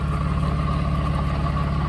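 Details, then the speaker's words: 1993 Mercedes 600SEC with straight pipes, long-sitting, just started: steady piercing whine over loud idle; water pump pulley wobbling and noisy, could fail any moment, to be replaced. "if you look on that pulley it's making a lot of noises this can fail any moment"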